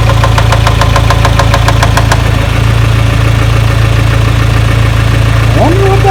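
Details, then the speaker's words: 1996 Geo Tracker, just restarted after fixing a no-spark issue (distributor left slightly loose) following a pinched transmission cable under the intake: steady idle with a sharp regular ticking knock, about three per second, that sounds like rubbing, then it shuts off. "started making a funny noise for a second almost sounded like something's rubbing and then it shut off"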